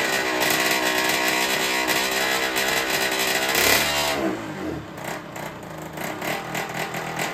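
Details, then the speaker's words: Derbi 50cc two-stroke with freshly fitted 70cc MK cylinder, just started: buzzy revs that drop and stumble at low speed, hunting and popping instead of clean idle; owner suspects the carburettor, cylinder confirmed fine. "bon au moins ça démarre après on peut pas dire que le moteur il tourne correctement parce que pour moi là il tourne comme une patate"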